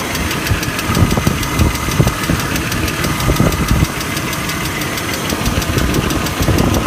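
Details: BMW E39 engine at idle with a light, quick ticking and occasional heavier taps, newly noticed; source unknown.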